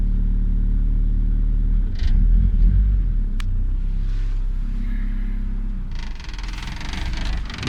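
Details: Honda B20 VTEC engine, after fixing a no-start caused by a faulty distributor wire: catches and settles into an even, steady idle with a low regular beat and some clatter; normal idle.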